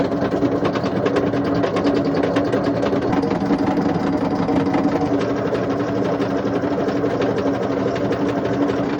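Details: Indesit IWC71453 washing machine with the drum turning: fast, harsh rattling clatter over a droning hum; drum bearings extremely badly worn.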